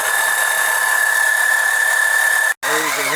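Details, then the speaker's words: Oil extractor pump drawing old oil during an OMC 140 oil change: steady high electric whine that cuts out briefly, then returns wavering in pitch; pump surging, cause not confirmed. "you can hear the pump surging. I want to make sure that you get all that old oil out of there."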